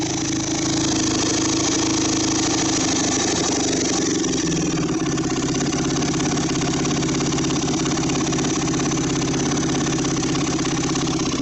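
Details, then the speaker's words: Yamaha WR400F four-stroke single, restoration project, on a temporary fuel supply: loud, fast, busy idle that doesn't settle down; owner says it might be a bit high, suggesting the idle speed is set too high. Cause suspected, not confirmed. "so I guess let's uh start it up and see how it runs now a might be a bit High"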